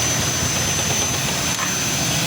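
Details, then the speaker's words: Yamaha Jupiter MX running: rough, busy metallic clatter from a slack cam chain. The cam chain should be replaced, but an aftermarket longer tensioner was fitted for a quick fix. "Coba perhatikan suara motor Jupiter MX bunyi kasar. Suara aneh di motor Remx."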